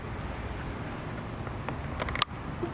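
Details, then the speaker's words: A sharp, loud click rises over faint shop noise as a wiring connector on an engine seats and locks fully. It shows the sound a Volvo's alternator sensing-wire connector should have made; left half-seated after engine work, the alternator wasn't charging. "Did you hear that? A very loud, pronounced click. That means the connections are fully connected and it's clicked into place and locked into place."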